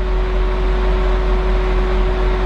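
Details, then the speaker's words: BMW from dead cold, no codes: loud, steady roar of the radiator fan kicking on high at start-up as if in extreme cool-down mode; the cause was a failed electric water pump. "first fired up and that fan Kicks On High it thinks that it's in this extreme coold down mode it needs to uh bring the temps down"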